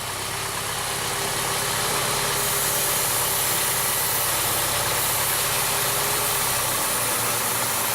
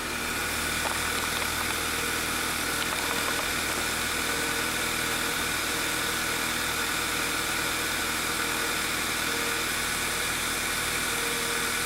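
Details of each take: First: 2009 VW Eos 2.0 TSI (engine code CCT) with lean misfires, idle: starting fluid sprayed at the engine-gearbox joint changes the idle tone and drives the fuel trims to −25, then they return; a vacuum leak at the rear main seal. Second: 2009 VW Eos 2.0L TSI (engine code CCT) after repair of lean misfires, with a torn rear main seal causing a vacuum leak replaced: smooth, even idle with steady hum, no knocks, misses or hunting; healthy.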